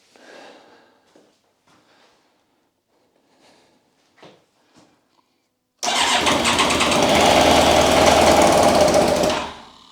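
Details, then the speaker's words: Yamaha YZF1000R Thunderace rebuild, abandoned 20+ years, fuel pump heard priming: starter cranks steadily about three seconds, never catches; no fuel reaching engine, owner suspects fuel tap, later found blocked. "okay Mom something's not right I'm thinking that fuel tap or something is occurring that is preventing the bike from getting the fuel no fuel"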